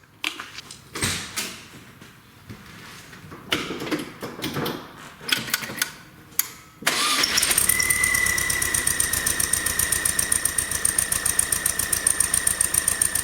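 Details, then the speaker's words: Volkswagen under 1000 miles after its build, weak battery; engine fires with fast ticking pulses and a thin high whistle over a rough idle, changing with throttle, sounding like a bearing; intake manifold vacuum leak. "Hear how it comes and goes with the throttle? All right, so as you can imagine, that's pretty annoying."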